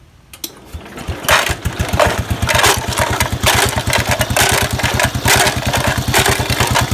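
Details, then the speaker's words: 1969 Locke reel mower single-cylinder engine, running to shake nuts and bolts inside the gas tank for cleaning: catches after a couple pulls and settles into a fast, hard putter with no dip; engine running too fast. "that's too fast okay we're gonna let that go for a while"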